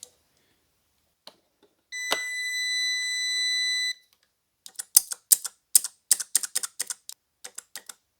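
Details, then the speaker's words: 2004 Honda CR-V with shift flaring and hesitation between shifts, shift solenoid removed and bench-energised with a 12 V jump box: a steady beep, then quick, slightly dull clicks; expected a sharp snap, but the solenoid is working. "this one does sound a little different now i did look it up online and i was told that it should be a really sharp snap whether or not this is a sharp snap or not i don't know it feels a little or it sounds a little dull but it is working"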